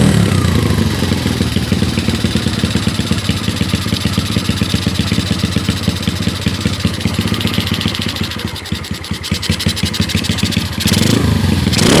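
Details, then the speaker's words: Honda Karisma 150 single with a BoyRenk type A camshaft and PWK 28 carb: revs and settles with a slightly ragged, uneven beat; carb setting suspected to be off and still needs tuning. "Oke seperti itu kurang lebih suaranya slur ini nanti mau di-setting lagi mungkin ada kurang di settingan karbunya ini kurang kurang pas"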